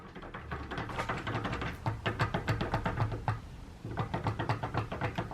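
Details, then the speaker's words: Audi S3 near-side driveshaft outer CV joint, worked by hand on the bench after it began clicking whenever the car turned right: rapid, uneven clacking clicks, several per second; outer CV badly worn with excessive play, to be rebuilt. "if you can hear that, that's the outer CV absolutely goosed. It's making a rocket there."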